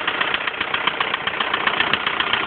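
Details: 1999 VW Golf TDI diesel at idle, out of gear: fast, even light ticking over diesel clatter; slightly noisy tappet.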